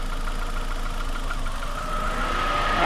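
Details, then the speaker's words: Cooling fans on a $50 car at steady idle swell to a rushing full-speed whoosh when a loose temperature sensor harness is shaken; scanner coolant reading jumps from 195°F, faulty sensor signal keeps fans stuck on high. "the fans just get gone [Applause] and you can see the temperature is going crazy fans are on high again"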